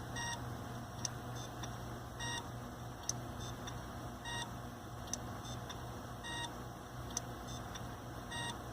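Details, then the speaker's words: Hitachi hard drive in a RAID1 array during replacement: sharp click with short chirp about every two seconds over steady hum; failing drive, suspected head crash or failing media. "Anyway, around 7 years, I've noticed, is about the age that a modern hard drive will last before things like this happen. Which, this to me sounds like a head crash or failing media or something."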